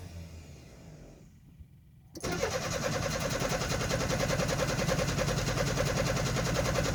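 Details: Nissan 720 hard starting: after a pause the starter cranks steadily at about three and a half beats per second for several seconds without catching; cause unknown.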